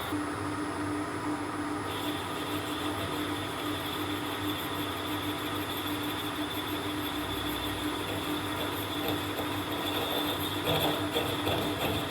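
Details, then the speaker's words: Boring at 330 RPM, freshly sharpened boring bar: harsh uneven scraping drone over spindle hum; bar rubbing on its back side in the bore despite clearance. "That sounds absolutely awful. There are clearly rubbing marks around the back of it, but then when you introduce it to the hole, there's plenty of clearance."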